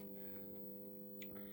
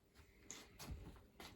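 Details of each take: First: Solis 3.6K-2G grid-tie solar inverter on variac and isolation transformer test setup, generating roughly 23 to 69 watts: low steady hum with higher tones above, no buzzing or clicking; inverter running normally. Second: Solis Ginlong 3.6K-2G grid-tie solar inverter on about 209 V DC input, repeatedly initialising and failing with an OV (BUS) error; sharp, irregular relay clicks in a quiet room as it tries to start and drops out.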